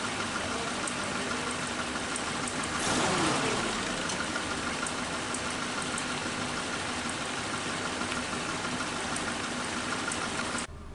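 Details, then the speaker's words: Suzuki Katana carburettor after cleaning and idle mixture screw adjustment (screw turned in until rpm drops, then backed out 1/4–3/4 turn): steady, even idle around 750 rpm with a brief blip, then settling smoothly; idle speed left unadjusted, normal idle. "Ini RPM di mesin sekitar 750. Nah, ini berarti setelan gasnya tidak saya lakukan karena ya udah RPM nya sudah sesuai."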